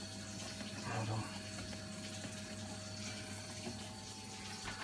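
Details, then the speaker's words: Vaillant boiler circulating pump after fixing an intermittent fault, flame off, pump now fixed on high speed instead of alternating: a constant even hum with faint water rush and no rattle; running strong and healthy. "But you can still hear this pump is running nice and strong. And now the pump is only going to be running on high speed, so it won't be trying to alternate."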